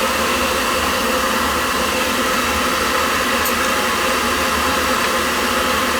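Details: Riello oil burner on a no-heat call, refired after fitting a 0.75 nozzle (spec 0.50–0.95): an even, steady roar of fan and flame with no pulsing, rumble or sputter, seemingly running better and firing cleanly.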